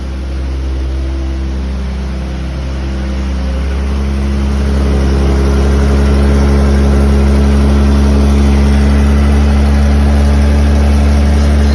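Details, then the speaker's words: 1979 Toyota Cressida carbureted engine, idling after a battery charge: steady idle rising slightly as it warms with a faint regular tick about four a second; ticking attributed to a small leak. "uh ping up there [Music] it's got It's got a little bit of a leak there and and that's where that noise is coming from"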